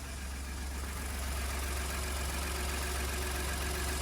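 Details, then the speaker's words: 2015 Ford F150 idling on first start after exhaust manifold, turbo and turbo cooling line install; low steady even idle, no knock or rattle; owner notes new turbo made an unexpected noise at startup but it runs. "Turbo's starting up for the first time, and I didn't know they'd make that noise. It runs."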